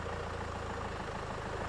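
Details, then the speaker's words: 2002 Renault Master 2.2 dCi after fuel-system parts replaced for intermittent crank no start and missing, low on fuel, air box off: quiet steady tick-over, even low beat, no misses or knocks; idling smoothly while checked for leaks. "There's not a lot of fuel in it, which doesn't help, but I just want to make sure there's no, so I'm just going to leave it ticking over for a few minutes."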